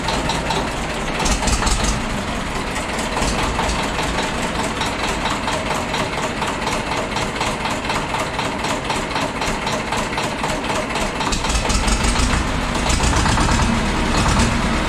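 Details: Famulus, first start after two years standing, 24-volt two-battery system: even diesel clatter at steady idle, picking up a little toward the end; starts and runs smoothly after sitting.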